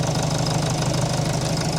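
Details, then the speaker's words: 2005 Jeep Liberty CRD, 2.8L VM Motori turbo diesel, idling after a thermostat replacement: steady, even diesel clatter with no misses or knocks. It is not warm enough yet to bleed coolant, but the thermostat works and there are no leaks. "It's just not going to get warm enough here as we're sitting, but the thermostat is working appropriately. We've got no leaks, and that is the desired outcome."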